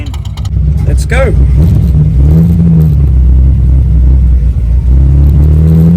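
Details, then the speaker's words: Holden Torana with manifold freshly back from machine shop, timing adjusted and flat spot reduced: engine drone picks up then sags and bogs under throttle; better when eased on, suspected to need bigger jets or accelerator pump. "Needs bigger jets. Wants to go. Yeah, if I ease it on, it's better. But we want that big dump of fuel. Might just be the accelerator pump."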